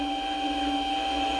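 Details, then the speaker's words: Mini lathe spring form tool holder cutting a 5/16" radius on the end of 1018 steel rod; steady thin ringing tone over the cut with no pitch change, a small amount of tool chatter. "some I hear some little chatter - I don't know if you can hear that that's a small amount of chatter"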